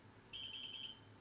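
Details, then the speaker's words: Xiaomi Air Purifier 3H, front and back buttons held for filter counter reset: three short high-pitched beeps about a quarter second apart in a quiet room, fan stopping, before menu changes. Reset sequence beeps. "so here we we had the first few beeps the mini will change so we just gotta wait so it shuts down the fan stops spinning as well let me hear the Third number of beeps port number of beeps now we let go"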